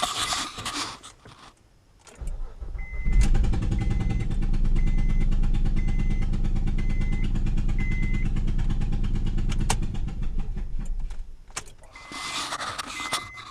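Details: 2007 Honda Pilot after a bang leaving a ramp: uneven, lawnmower-like chuffing pop about three times a second at idle, misfires on several cylinders with O2 sensor code; a blown-out spark plug and damaged coil.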